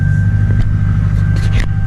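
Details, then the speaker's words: 2004 Chevy Silverado 2500 with LB7 Duramax diesel, almost 23,000 miles, just started: deep, steady, even idle with a low rumble, no knocks or hunting, no smoke; runs healthy. "it doesn't blow any smoke it idles good seems to run good no smoke of any kind whatsoever really"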